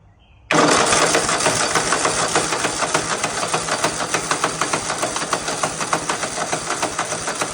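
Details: Husqvarna RZ5424 zero-turn mower with a Kohler engine, which had quit running, started after a tune-up with new spark plugs, on a jumper box with choke up: cranks and catches at once, then settles into a quick, even beat of about three firings a second; healthy.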